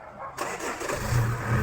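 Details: Chevrolet Cruze with earlier cranking-but-not-starting problem: brief starter whirr, then the engine catches at once and revs up and down smoothly; a normal, healthy start.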